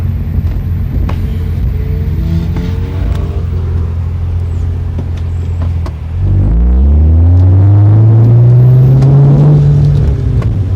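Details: 2003 Hyundai Tiburon petrol engine at full throttle in 2nd gear while driving: rising note broken by an uneven, stumbling misfire pulse.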